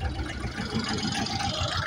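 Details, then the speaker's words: John Deere 304H loader diesel with 12V electric fuel pump, stalled and would not restart, after clearing a debris jam: steady low idle, firing evenly without stalling; fuel delivery restored, filter to be changed. "That was definitely it. Nice. Let's change that filter out though."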